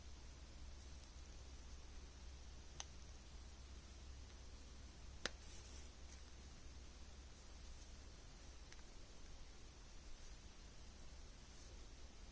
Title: Samsung Flip 6 screen issue 3 months after purchase - popping sounds